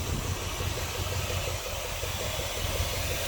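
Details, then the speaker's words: 1976 Dodge D200 truck just after new fuel pump and new starter fitted; starts and settles into an even, steady low idle rumble with no misses, knocks or hunting, much better than before. Normal idle. "now that we've done the fuel pump and the starter let's see if it starts oh that sounds nice that's much better sure did"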